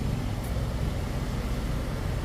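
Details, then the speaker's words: 7000-watt generator running a 3.5-ton AC condenser fitted with an ICM 870 16A soft start: as the fuse is pushed back in, the deep, even engine drone doesn't dip or bog under the load; normal running under load. "I'm about to push the fuse back generator didn't make a sound didn't bog"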